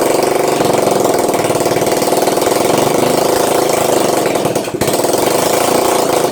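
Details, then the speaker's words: Honda ATC200 after carburetor strip and clean, running on petrol for the first time in years. A small single runs uneven and fast-pulsing, sagging briefly near the end and wanting to stall. Idle speed is set too low. "oh these are just the idol alright alright someone look yet we'll just crank it up a little bit because I think it just stalls"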